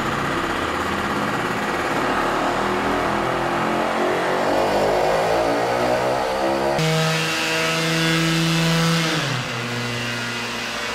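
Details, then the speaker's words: Vespa PX two-stroke after carburetor tuning, needle lowered fully to leanest setting: pitch climbs smoothly and strongly without bogging, then drops back; over-rich condition that had capped revs near 7,000 rpm is cured. "This is the leanest adjustment possible with this needle and emulsion tube and with that the situation improved a lot."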